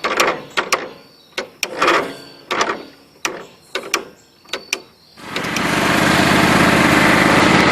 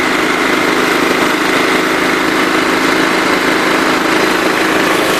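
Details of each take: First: John Deere LT133 lawn tractor: about eight short cranking bursts dying out before it catches around five seconds and runs steadily; owner suspects a gummed-up carburetor, unconfirmed. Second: John Deere LT133 lawn tractor with a Kohler Command single-cylinder engine, held at wide open throttle: steady, even high-speed drone with no surging or misses, little throttle travel; normal full-throttle running, though an unidentified rattle is heard.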